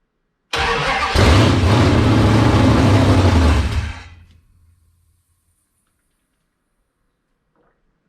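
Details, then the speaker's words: 1978 Dodge D100/D150 Warlock truck, 360 small-block stroker, first start on fresh gas, cold with no choke: cranks, catches, runs rough and loud about three seconds, then stalls; ignition seems fine, fuel starvation suspected, not confirmed. "see if we can keep it running this time know if it's starving to get fuel or what doesn't seem like the ignition is cutting out"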